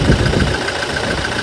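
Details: 2018 Toyota Hilux diesel with code P0301, cylinder 1 misfire: rough, uneven idle with a sharp tick about five times a second. An injector problem is suspected but not confirmed; injector servicing is under way.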